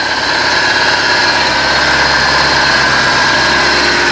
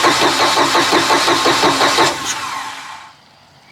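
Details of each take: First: 2000 Bayliner Capri 1952 cuddy cabin, neglected 3.0 MerCruiser just started after starting fluid: smooth, even, surprisingly quiet idle with a steady low drone, no knocks or misses, warming up; owner thinks the impeller probably needs changing anyway. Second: Neglected 2000 Bayliner Capri 1952 with a 3.0 MerCruiser: steady rhythmic starter churning, about three turns a second, never catching; long crank with no start, likely gas not yet reaching the engine. It later started with starting fluid.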